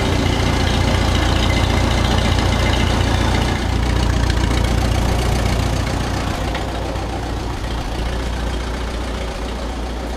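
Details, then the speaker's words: Oliver 66 tractor idling rough: a low, heavy, uneven lumpy beat that never settles. The throttle can't be set below a certain point; the owner plans to clean the carb and plugs. No cracked block was seen behind the carb, and the cause is unconfirmed. "so you may be wondering why I'm going to clean the carb and put clean the plugs - it's because of the fact that this thing kind of runs bad"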